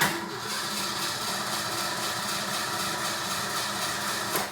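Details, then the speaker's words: Ford Mustang 5.0 with 3/4 tank of fuel: several seconds of steady, fast starter churning with no catch, after an electronic-like noise; owner questions fuel pump delivery, cause not confirmed; crank no start. "It'll just do that until I kill the battery. So, you know, I mean, to the to the everyday person, it would just seem like the car is out of gas, but it's not."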